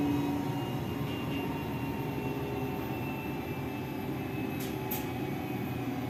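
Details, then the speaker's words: Lavamac washing machine that gave a loud spin noise (drum bearing suspected), belt reattached to main drum, 220 V supply: steady, even hum with faint constant whine, no knocking or rumble; normal spin at normal speed. "तो अभी जो मैं start किया हूं normal speed पर spinning में चल रहा है नॉर्मल स्पीड इसकी चल रही है"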